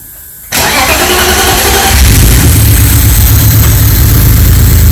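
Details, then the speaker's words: BMW E36 with swapped M54b30 engine from an E46 330, second start attempt on hack engineering adapter loom, no belt fitted, smoke on manifold: fires after brief crank into lumpy, uneven loping idle; cause not identified. "Huh? Is it? That sounds a bit lumpy, yeah."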